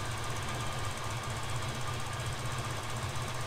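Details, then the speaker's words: Freshly restored 1957 Chevrolet Bel Air restomod with twin-turbo engine, idling quietly and smoothly after initial fire-up with a light, quick, even ticking; normal fuel injector clicking. "oh i can hear the injectors clicking now sweet"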